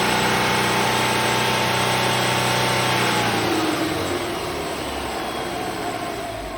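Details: 2003 Subaru Legacy Touring Wagon BP5 2.0GT spec B, EJ20, 5MT, over 129,000 km: light metallic rattle from the engine bay appearing when revved to about 3,500 rpm, fading as revs fall; none at startup; cause unknown.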